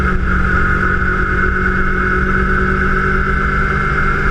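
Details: Kawasaki Ninja 250 while riding, microphone on a GoPro mounted by the front wheel near the engine: a constant high whine rides along with the engine under steady road drone; abnormal engine noise, cause unknown.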